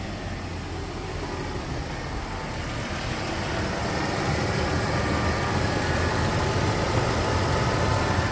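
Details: 2003 Toyota Prado 120 series 4.0 V6 petrol idling just after a starter motor replacement: a steady, even low hum that firms up slightly, with no misses or knocks; clean, healthy idle.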